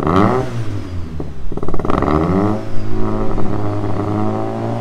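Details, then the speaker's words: Second start of a 500+ hp Opel Astra GSI Z20LET turbo, now slightly warmer. Held on throttle, it splutters and pops with surging revs and no throttle response, a cold misfire. Owner blames a poor tune map. "So second time, trying to get it started. It's obviously a little bit warmer now. You can hear it misfiring, spluttering. No throttle response still."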